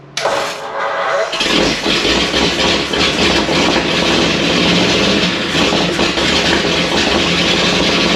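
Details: First start of a freshly built 59AB flathead V8 in a 1937 Ford on an old 6V system, after a starter swap: short tight crank, then a strong, steady, even run with no knocks or misses and about 30 psi oil pressure.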